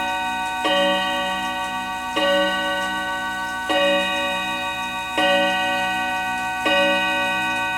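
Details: Hamilton carriage clock with balance escapement, after oiling the whole front of the movement: clear ringing bell strikes about every second and a half, evenly spaced and full, the chime train lifting the hammers and starting right up; normal chime.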